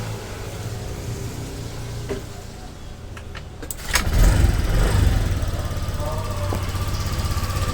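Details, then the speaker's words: Motorcycle with CKP sensor test harness tapped in and CKP socket previously unplugged (stored blink code 52), key on, then cranked: starter crank, engine catches after about four seconds and settles to a steady, even low idle; normal start and idle. "Oh ya, karena motor ini masih sehat ya, masih normal. Apabila kita nyalakan kontak, kita engkol, pasti motor ini menyala ya."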